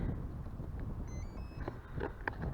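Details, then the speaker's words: RC model powered up: a few short high electronic beeps climbing in pitch over wind noise; speed controller beeping that signals throttle calibration is needed. "sometimes as you can hear with that beeping noise it does actually like really require a calibration so I don't calibrate it every time"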